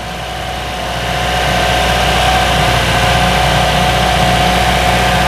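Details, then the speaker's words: Toyota Innova AC after compressor replacement with a new unit and a system flush: the earlier rough compressor noise, clicking and squealing are gone; smooth, even engine hum with AC on, vent at 7°C dropping toward 6°C; normal compressor operation. "bunyi kompresor telah hilang ya karena ini kompresional telah baru"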